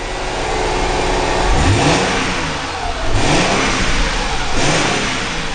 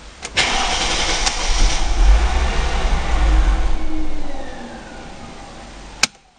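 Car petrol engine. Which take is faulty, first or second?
second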